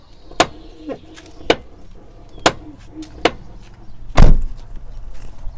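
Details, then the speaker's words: Toyota Corolla (E150) door: sharp clunks about once a second as the door swings through its travel; worn rollers in the door check strap knocking over its detents, owner expects to replace the check strap. "потому что этот стук — он просто слышен, звучит как какой-то грохот, и это просто ужасно."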